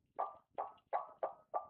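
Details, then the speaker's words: 1996 Ford Mustang GT with the intake manifold removed, water pump turned by hand: short metallic clunks about three times a second from inside the pump, which does not feel rough; pump to be replaced. "that's not me hitting anything that's the insides of the water"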